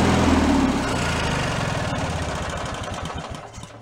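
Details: Free derelict Craftsman riding mower single-cylinder engine, started by key on fresh fuel after repairs, warming up before an oil change: even, quick putter with a steady beat, no misses or knocks; normal idle.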